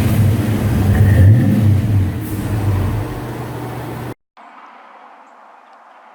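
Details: 1993 Ford Mustang Cobra, in an accident with a replacement airbag ordered; deep, smooth rise and fall of revs for about four seconds with no knocks or misses. Normal revving, sounds good.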